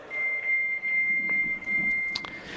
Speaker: we start with network interaction probing and raging equalizer echo canceling more training and you actually need to be quite familiar with these steps because they sound like this